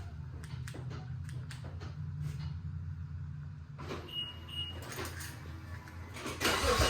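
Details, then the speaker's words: BMW N55 turbo six on a flex-fuel E85 tune with a Beamer Haas intake; owner has had trouble holding boost and is fitting an M2 diverter valve. Quiet rumble, then it fires and rises into a loud intake howl; starts and revs cleanly. "We're operating with Beamer Haas intake, so it is going to pull in crazy amounts of air at startup. You're going to hear the ridiculous howl."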